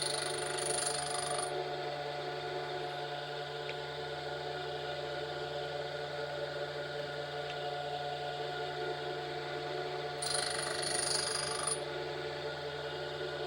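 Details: Tool grinder on a four-flute end mill, secondary clearance at 20°, Norton CBN wheel used for first time, a thou per pass: steady motor hum with two soft hissing passes, no harsh grinding, barely sounds like grinding; clean, light cut.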